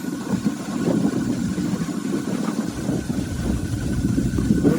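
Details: 1986 Dodge D150 V8 idling after a DIY AC compressor bypass with an idler pulley on the V-belt drive: steady, even rumble with faint constant belt whir, no squeal or chirp; the pulley and belt drive sound healthy.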